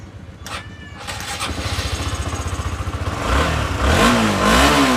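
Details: Honda CBR 150R that died completely, a 5-day-old battery again weak with an internal short: engine catches after a short crank, settles into an even idle, revs up smoothly and returns; running normally.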